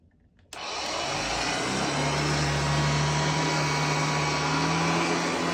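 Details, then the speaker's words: Hoover Junior (UK) / Lark (US) model 115 upright vacuum running on a newly fitted belt: switches on and climbs to a steady, even motor roar with a smooth low drone, no slapping or squeal; runs normally. "And that is my Hoover Junior or Hoover Lark, depending on where you're at."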